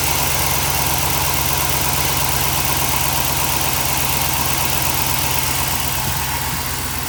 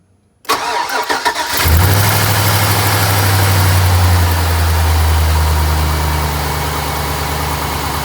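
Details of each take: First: Chevy truck LS V8 (1999 and later) idling after the exhaust manifold was refitted and bolts torqued middle-out: smooth steady low burble, no ticking or puffing, exhaust leak gone, normal idle. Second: LS V8 truck with broken exhaust manifold bolts, before the stud-and-clamp fix: cranks, catches and settles to a fast idle with a sharp puffing tick from the exhaust manifold leak; slight smoke.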